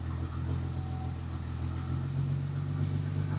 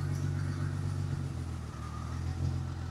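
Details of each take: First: 1977 Ford F100 with a 300 inline-6 and FiTech EFI, target AFR reset to 13.6 after a lean 15:1 test that ran unhappily. Low, steady idle burble with an even beat and no misses or stumbles; normal idle. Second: 1977 Ford F100 with a 300 inline-six on FiTech EFI, idle AFR leaned from 13.6 to 15:1 via the handheld: low idle with an uneven stumbling beat and small dips; rough idle from a lean mixture.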